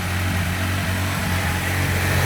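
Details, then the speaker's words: VAZ 2106 complete engine during break-in run before shipping to a customer, oil pressure and alternator charging checked: even, steady idle with smooth low rumble, no knocks or tapping; engine runs smoothly, normal idle. "Все, двигатель работает ровно, исправно. Посторонних стуков нету. Посторонних шумов нету, да."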